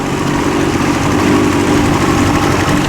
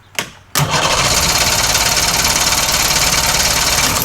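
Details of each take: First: 63-year-old boat after ignition repair, running under way in gear on the water: constant smooth drone holding a steady pitch, no misfires or knocks; running cleanly, overheating unknown. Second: 63-year-old boat engine with points/condenser ignition after rewiring ignition box, magneto and tach leads: fast even cranking about three and a half beats a second, never catching; fuel leaking from carb, cause of no-start unconfirmed.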